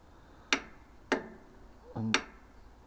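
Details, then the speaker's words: 40-year-old Lawn Flite MTD ride-on mower, key turned: four sharp isolated clicks about a second apart with no cranking; test light shows signal reaches the solenoid, no loose wiring; solenoid to be replaced. "so that means the signal is getting to the solenoid and nothing appears to be loose down here or on the starter"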